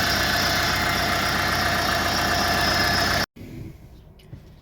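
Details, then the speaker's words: Renault Master diesel van, pump already replaced; steady knock about four times a second with a thin squeal at idle; owner suspects a pulley, removing the belt didn't isolate it, not confirmed; squeal and knocking at idle. "esse ali é o barulho ali não sei o que que é já foi trocada a bomba tem alguma polia ali que tá tá fazendo aquele"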